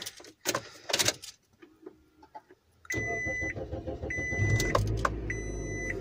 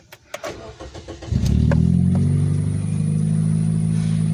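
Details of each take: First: 2005 Scion xB on a cold day after drive belt and exhaust replacement: engine starts and settles to a quiet even idle under a door chime, belt squeal gone; normal idle. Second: 2005 Scion xB, 1NZ-FE 1.5-liter four-cylinder, 4-speed automatic, broken exhaust pipe, check engine light: cranks, catches, then lumpy uneven idle with loose exhaust note; runs badly, misfire.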